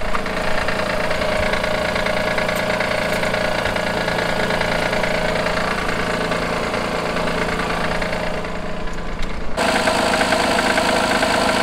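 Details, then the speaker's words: 2016 Honda Pilot III, J30A9 V6, cold idle: fairly strong steady knock about three times a second from faulty timing belt tensioner; disappears after 2–3 minutes warm-up, returns after 3–4 hours off; fixed by tensioner replacement. "Вот такой достаточно сильный стук. И слышится он, пока двигатель ещё не прогрет."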